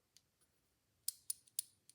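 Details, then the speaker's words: Edison Gem key-wind phonograph after replacing the ratchet pawl: crisp, evenly spaced clicks about three per second as the key turns, the new pawl catching each gear tooth cleanly; ratchet working properly. "You hear that click, click, click? And that's all there is to it."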